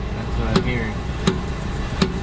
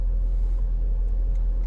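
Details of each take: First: 2012 Dodge Durango Citadel on jack, in drive under torque load: sharp pops about every 0.75 s over engine rumble from the rear axle; worn dry rear inner CV joint, later greased. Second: 2012 Dodge Durango Citadel test drive after greasing the rear CV axle that had been popping: only smooth, even road rumble with no popping or clicking from the rear; rear axle sounds healthy so far.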